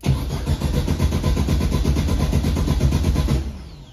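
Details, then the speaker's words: 1971 Volkswagen Beetle parked 23 years: the starter churns the engine at two to three beats a second for several seconds without catching. Crank, no start; no spark, and the coil wire was being checked. "I ain't getting no spark it's not even trying to hit"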